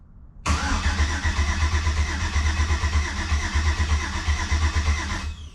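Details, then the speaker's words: Jeep TJ with a 5.3 V8 swap, pre-oiled, first start attempt in park with no rear driveshaft: starter cranks steadily at about three pulses a second for five seconds and it never catches; no fuel suspected, and later traced to an unconnected switch-panel head unit. "Oh, we got crankies. I don't hear fuel. All right, we're gonna give it a couple more shots, but I don't think we're getting fuel."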